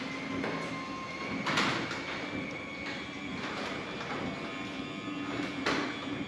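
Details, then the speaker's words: Genie 6172H-0 wall-mount jackshaft opener with C.H.I 5916 three-layer insulated steel doors on nylon rollers: low steady hum with soft rolling and faint squeaks while running, about 40–45 dB; normal quiet operation. "All right, there you go. You can see this is much quieter. It's about 40 dB, maybe 45 dB."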